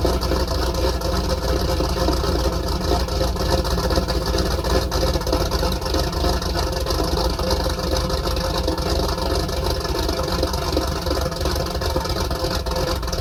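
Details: 334 small-block Chevy V8 after break-in and oil change, choke idle screw adjusted, warming up: deep even burble, smooth steady lope, no knocks or ticks; sounds good, still needs a little tuning.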